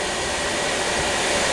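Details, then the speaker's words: Newly installed ProAir rear AC kit in a Ram ProMaster van, blower switched to AC mode on high: a strong, steady rush of air, smooth with no rattles or wavering, huge airflow; normal blower operation. "Holy moly. I mean, that is a lot of air coming out of that unit. I don't know if you can hear it, but it's probably making noise on the thing. But I mean, it is unbelievable amount of air."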